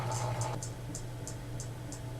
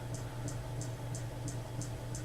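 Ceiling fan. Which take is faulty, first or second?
second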